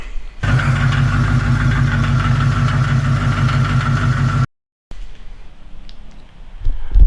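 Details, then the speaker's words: Hurt Tremec T5 manual gearbox in a 1992 Fox Body Mustang with shifting issues: loud, rough idle with heavy churning rumble, steady raspy gearbox tone and extra vibration even in neutral, before transmission removal. "The T5 sounds like two gargoyles are wanting to just tear each other apart in there. It's got weird vibrations, more than normal, and then that sound."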